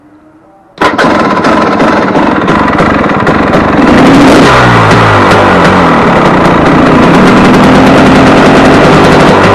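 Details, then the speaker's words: Warm KTM 250 EXC two-stroke on 50 pilot jet, rich as throttle opens, slow rich idle: sharp repeated pipe bangs on overrun as throttle closes; owner suspects the ignition-side crankshaft seal is sucking air. "Um, but the bang bang bang bang bang bang bang overrun. Now, this is the first thing that struck me when I started this thing the first time."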